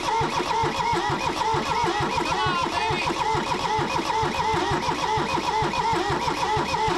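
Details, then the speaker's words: Kubota B6100 tractor, three-cylinder diesel, long non-running, block warm: steady, even cranking with regular compression pulses that never fires or speeds up; owner suspects stuck rings and low compression. "You know, what could be happening is if those rings got stuck, I don't know, in maybe it might be low on compression."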